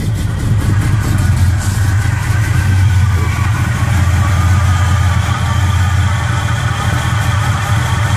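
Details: 1969 Impala freshly built small-block with fresh heads, cam, gear-to-gear timing chain: deep loud idle with choppy performance-cam lope in the exhaust, no knocks or rattles; normal idle.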